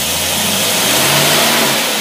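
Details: Rebuilt Carter AFB carburetor tested on a running engine on a dyno unit: engine picks up smoothly from idle as the throttle is gently opened, even and clean with no misses, stumble or backfire.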